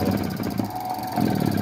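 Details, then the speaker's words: 220 V electronic gate motor run on 127 V supply with two capacitors, on bench: motor hum starts with low, uneven growl and pulls in sluggishly, not at full power; adding capacitance improves start. "o motor já partiu lá viu ele não tá totalmente potente mas não tem muito pouca força"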